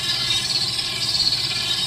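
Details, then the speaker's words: Dolphin S 300i pool robot drive, motor fine but something was slipping (gear on back order); temporary guitar-pick fix, started with a toe. Steady high-pitched motor whine, even hiss, no clicking or grinding; drive running normally again. "use my toe to start it up and uh there it goes just goes the other way"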